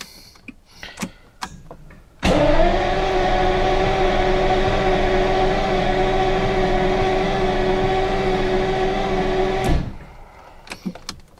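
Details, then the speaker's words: Classic V12 car with Lucas electrics, cranking on the starter for about seven seconds at an even pace without catching. Injectors suspected not firing, though later heard ticking; a spare ignition ballast resistor was fitted. Crank, no start. "It really doesn't sound like the injectors are firing."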